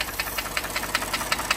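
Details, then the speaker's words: 2014 Ford F-150 3.5L first-gen EcoBoost, engine bay stethoscope on cylinder one: sharp metallic knocks about five per second, loud on one bank, other side normal; relative compression good across the board; piston slap from a broken skirt. "relative compression great across the board but listen to this listen to how this [Applause] sounds real loud on cylinder one right here I use this stethoscope and I could definitely pinpoint cylinder one this side sounds perfectly normal this side's definitely not"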